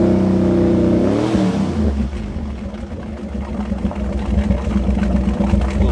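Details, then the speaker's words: 1963 Impala started and moved on a hot day after sitting; low idle turns burbly and uneven after a rev, a wet bubbling pulse about four per second like a boat idling underwater; water trapped in the exhaust pipes. "it run a little kind of sounds like one of those uh Criss crafts idling underwater all right I should be embarrassed letting sit down there water getting in"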